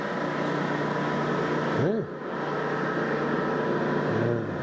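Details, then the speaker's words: Axelson lathe, the shop's frequently used threading machine, running: a steady, even mechanical hum with a smooth tone and no knocks or rattles; a good running machine, sounds good, runs good. "a good running machine, sounds good, runs good, doggone nice machine."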